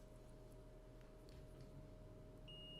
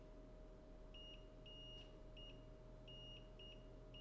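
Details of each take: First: Multimeter set to continuity mode, probes touched together to check it before short-testing a water-damaged phone board: quiet hum then one short steady high beep; normal continuity beep. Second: Continuity test on the VCC main line of a water-damaged phone board near the power management chip: repeated sharp beeps show at least a partial short to ground, confirmed at 0.049 ohms where about 0.5 is expected; suspected shorted capacitor.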